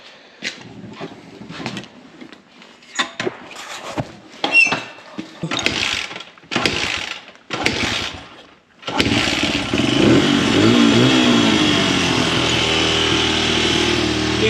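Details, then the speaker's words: Honda 100 pit bike (possibly CRF100F) just fitted with a discount Amazon carburetor: a few failed cranks, then it catches and settles into a steady, even single-cylinder run with no misses or knocks; needs slide adjustment but running way better. "slide adjustments but I can already tell it's running way better"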